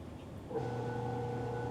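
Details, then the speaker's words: Magic Chef 1.7 portable washer, after five years of use, filled with water: steady low electrical hum with no sloshing or turning sounds; motor energised but the drum does not spin. "And because it made the noise, the first time I used it and it was broke, I thought it was working because I hear the noise of it spinning. But then come to find out, it's not spinning."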